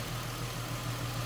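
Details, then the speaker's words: 2007 Ford Mustang convertible at idle with hood open at the engine bay: steady, even low rumble with no knocks, misses or surges; a smooth runner that sounds good. "and engine bay smooth Runner sounds good and again nicely equipped AC blown cold"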